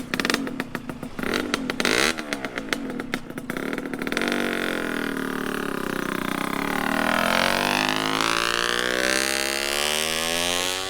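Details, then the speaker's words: 1996 Honda Nova Dash 125 two-stroke restoration, just fitted with a new WRC full titanium exhaust replacing a straight-through pipe that was far too loud. Crisp ring-ding with quick blips, then smooth revs rising and falling cleanly; normal running. "the new pipe is on and I wanted to bring the bike out and start it up so you could hear it hear how good this thing sounds"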